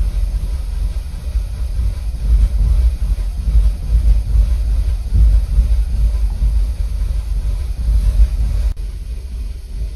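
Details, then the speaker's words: Audi engine, 171,000 km, warm idle in winter: rough, lumpy shaking idle with uneven low thumps; cylinder 2 misfiring completely (cylinder 4 also misfired earlier), no fault codes; suspected failed injector or short. "да у нас второй цилиндр вообще не А у нас и в четвёртом пропуске были но выпадает второй полностью её колбасит"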